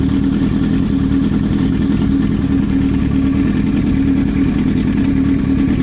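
Steady sport-bike engine running with a fast, even tapping riding over the exhaust note; a knock is present but its source is unclear.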